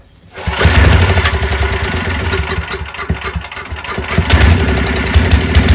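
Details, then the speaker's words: Free 5000 W Powerback gas generator after new aftermarket carburetor, fuel lines, filter, petcock, spark plug, gaskets and oil, choked start: fires quickly and settles into a steady, even drone with no stumbling; runs normally. "runs great."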